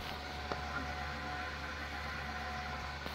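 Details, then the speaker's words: AMD EPYC 7282 test bench on Supermicro H11SSL-i board with SilverStone FX600 power supply: steady whir with a rough, gritty rattle rather than clean fan hiss; the GPU fan seems to be grinding. "Um this is more of a grindy rattling noise versus this just being a fan noise."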